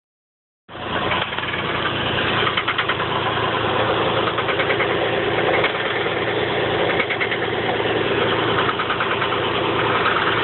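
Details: 1985 Chevy Camaro Berlinetta idling with a light, uneven knock, roughly three taps a second, that comes and goes; owner unsure of the cause.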